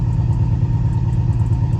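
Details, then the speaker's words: Oldsmobile Cutlass engine at idle after reassembly: deep, uneven, lumpy wavering idle with some clatter; runs rough, owner unsure of cause, suspects something loose, and a motor mount as it hammers when put in gear; brakes also not working. "still a little bit off still runs a little rough too so that's another issue that we're working on with this car"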